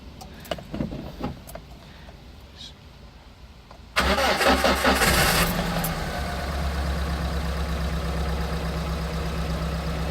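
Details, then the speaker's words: Piaggio Porter / Daihatsu Hijet 4-cylinder after igniter module replacement: cranks, catches, idles stumbling and pulsing unevenly with check engine light still on; misfire persists, owner suspects wiring problems. "No. It still runs rough. The check engine light is still on. The problem is still there."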